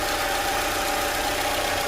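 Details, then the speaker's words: 2012 Toyota Camry 2AR-FE after an engine noise repair, on a cold start after two days sitting, with the oil light going out after half a second. Smooth, even mid-pitched idle with no knocking or ticking: normal engine sound. "and this is pretty much the normal sound for the camry engine"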